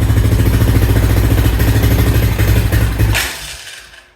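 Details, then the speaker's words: 2000 Honda Foreman 400 4x4, just started, choke possibly on: the single cylinder chugs unevenly, bogs and dies, and will not take throttle. Owner suspects flooding, an exhaust still clogged by a wasp nest, or low fuel. "it's not W to get very does not want to take any throttle at all"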